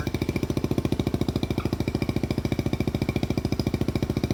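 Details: Rebuilt 1971 Honda CT90, rebuilt top end, valve job, new clutch, gaskets, points and plugs: steady even put-put at about three and a half beats a second, no knocks or misses; healthy idle.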